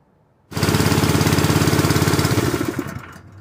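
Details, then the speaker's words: Honda GX160 single-cylinder air compressor engine on propane fires up, chugs unevenly, then quits, the same run-briefly-and-die symptom it had on gasoline; valves already adjusted, coil gap unchecked, and owner suspects weak valve springs. "that's what it's doing before run a little bit and die same symptom it's doing on gasoline it's doing it on propane"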